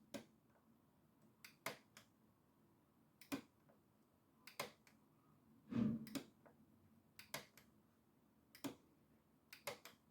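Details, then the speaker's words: PECO Electrofrog double slip on an N gauge layout, newly installed point motors under test; crisp sharp clicks in quick pairs a second or two apart, switching convincingly between the two positions; normal point motor switching. "and if you can hear that, that is very convincingly switching between the two. So that's pretty much perfect. That's exactly what we want."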